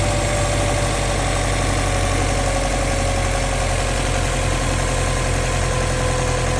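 Steady, fast cold-start idle with a faint, even ticking riding over the engine note; knock present, cause not pinned down.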